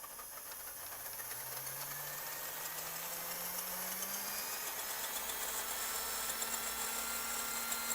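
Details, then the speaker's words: Restored RC vehicle, wheels off the ground: smooth electric whine climbing steadily as the motor spins up, no grinding or clicking; transmission, motor and steering work, though throttle is inverted and old steering servo is noisy. Normal motor and drivetrain operation. "Alright, so we know the transmission works, we know the motor works, and we know that the steering mechanisms in here are working."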